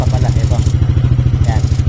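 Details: Yamaha NMAX version 2 scooter brought in for a noisy engine, after tensioner work with the old gasket reused: smooth, even idle with no ticking or rattle, now quiet again, slightly louder only because the throttle is open; no engine teardown needed.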